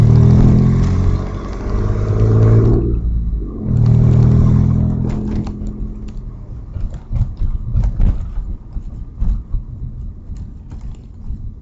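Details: Audi A4 2.8 12V accelerating: deep chuffing rumble swells with revs, then rough clattery puffs as it settles; exhaust leak right after flex pipe, before the cat, leaving one bank open; later repaired.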